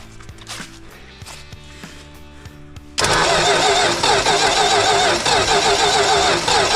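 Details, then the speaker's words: 1967 Dodge Coronet 440 with 318 V8, no spark suspected from points not separating or corroded: steady rhythmic cranking about four beats a second but engine never fires; crank no start. "d'accord, allez-y, essayez, il en faut deux, d'accord, donc nous n'avons pas pu le démarrer"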